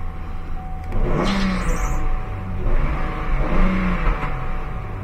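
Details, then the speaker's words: Chevy Trailblazer/GMC Envoy after throttle body replacement for P0121 low power: engine idles and revs cleanly twice; before it bogged and wouldn't rev past 2000 rpm. A squeaky belt also noted. "it's idling good now before it was falling on its face it wouldn't rev past two grand"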